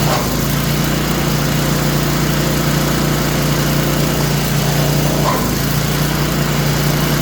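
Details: Craftsman snowblower small engine, oil full, started on choke: steady idle with a constant rough, rattly whirr underneath; owner suspects a bearing after earlier squeals; abnormal running noise.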